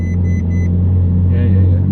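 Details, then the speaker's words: Ferrari 458 V8 started after fuel filler neck replacement and battery reconnection: a few chimes, then a deep idle rumble rising and sagging gently as the ECU relearns, left to idle about a minute without revving; normal idle fluctuation. "the engine kind going up and down low but as the ECU kind of relearn's the car"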